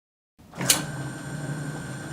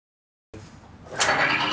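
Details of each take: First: Timken bearing test rig, race saturated with Hoppe's No. 9 firearm lubricant under equal weight; spins up, then harsh high screech climbs louder with smoke; lubricant failed within 4 seconds, bearing damaged by friction and heat. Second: Timken bearing test rig lubricated with Modern Spartan Systems Accuracy Oil: the rig spins up to an even whir with no screeching and no smoke, running 20 seconds with no heat and only a tiny discolored spot.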